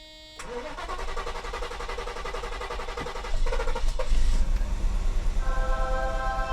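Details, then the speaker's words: 1990 Mercedes 560SEC (W126) after new fuel pumps and fuel filter for a stalling issue: pumps faintly audible, starter churns evenly at about three turns a second, engine never catches; fuel not yet primed. "Let the gas get up to the engine. Yeah, you can hear the gas pumps there a little bit there. Come on, gasoline. We got to fill up the fuel filter."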